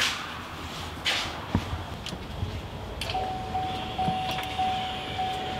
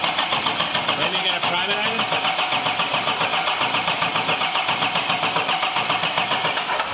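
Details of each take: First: 2021 Duramax Silverado 2500 diesel rebuild, key-on on jump box: quiet, then a faint steady hum switches on and holds even; electric fuel pump priming normally, though a fuel leak then appears. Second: 2021 Chevrolet Silverado 2500 Duramax diesel, rebuilt, first start attempt with fuel rails empty: steady starter cranking about 220 a minute for seven seconds, no catch; cranks without firing, fuel system suspected needing priming.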